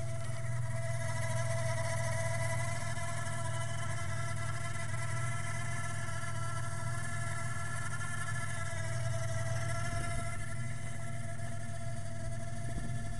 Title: 3.8 V6 Whining Noise